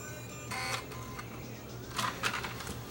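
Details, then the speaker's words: Cheap Dynex Blu-ray player trying to read MP3 files written to a Blu-ray disc: short bursts of whirring and clicking as the pickup travels repeatedly, seeking beyond the disc; reports unknown disc and fails to read. "I can hear the pickup moving around this is a loading disc it didn't like my desk we'll try it again it's trying to read beyond the disc itself"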